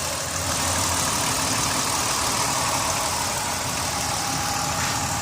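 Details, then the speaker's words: 2005 Dodge Caravan SE wheelchair van, 3.3 V6, 161k miles, listened to under the open hood; steady even idle hum with a soft whirr, no ticks, knocks or hunting; idles smoothly. "Underneath the hood has a 3.3 V6. It idles smoothly."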